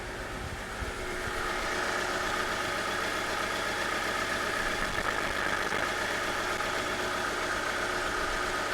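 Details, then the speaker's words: 1997 Wrangler, first start after its starter install, unknown run history, no coolant: steady but uneven, slightly lumpy idle with flutter at the rear, not fully settled; rough idle with a stumble. "But got a bit of a stumble to it at this point."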